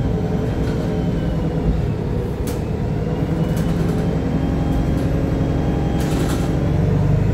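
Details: Arriva North East VDL SB200 Plaxton Centro diesel bus YJ58 FFB in limp mode: raised steady idle with a low rumble and no rev changes; high idle, cause unclear.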